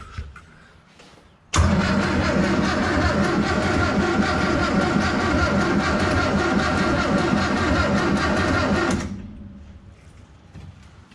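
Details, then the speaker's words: Morris J2 van parked in desert since 1980, first start attempt with choke: engine catches, runs rough and uneven about seven seconds then dies; leaking fuel lift pump draws air, starving fuel; water pump leaking and noisy. "well the water pump must be had it because water was pouring out of the front of there and it is pretty noisy but i've just got to get to see if this will start"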